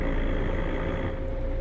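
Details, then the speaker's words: Roadranger 18-speed constant-mesh truck gearbox, stationary, low gear selected: steady low drone with a faint even hum, no grinding or clash, unlike the higher-pitched whine of a mismatched gear; normal engagement of a closely matched gear. "so that's a closely matched gear so that's that's it there"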